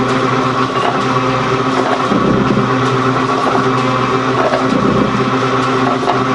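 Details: Gould & Eberhardt 24-inch heavy duty shaper (1912 patent date; owner guesses 1912–1930), just shifted into high speed with the larger pinion engaged, first high-speed run. Even gear hum with ram strokes every couple of seconds, no knocks or grinding: normal running.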